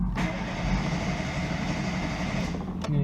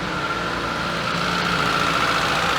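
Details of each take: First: ZAZ Sens with a rebuilt engine that stalled and won't restart; starter churns steadily for three seconds and never fires. The tester shows no spark from the ignition coil, which loses spark when hot. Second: ZAZ Sens with a rebuilt engine that sometimes stalls and then won't start, on a scanner with no fault codes; cold engine idling smooth and steady but a little high, about 1100 rpm versus an expected 870–890; no knocks or misses.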